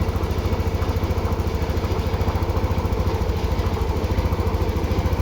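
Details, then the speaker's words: TVS Jupiter BS6 scooter that was hard to start and stalling, after battery reconnection work: even low putter about three and a half beats a second, steady without hunting or stalling; now idling normally, not yet road-tested. "എന്തായാലും വണ്ടി ഇപ്പൊ start ആയി correct ആയി നിൽക്കുന്നുണ്ട് correct ആയെന്ന് തോന്നുന്നു"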